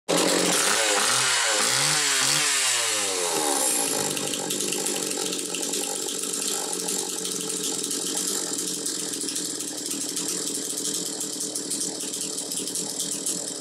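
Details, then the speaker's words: Homelite Super 2 chainsaw (thought to be about 1990) revs up cleanly, then holds a steady, even high-pitched scream with no stumbling or surging. It is running healthy. "so at least the first one I've come across so anyway you hear it it's running good"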